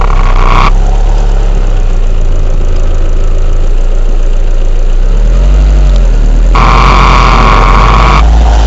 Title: weird noise